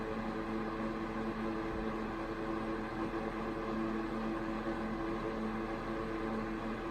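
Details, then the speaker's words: 1992 Super 8" box fan model BF1000 (120VAC 30W, 3-speed shaded-pole C-frame motor, plastic blades), serviced, switched to medium speed: soft steady whoosh of air with faint even motor hum, airflow increases, no rattles or rubbing; normal running. "there's not a whole lot of difference between the three speeds but the airflow certainly increases when you switch between the speeds"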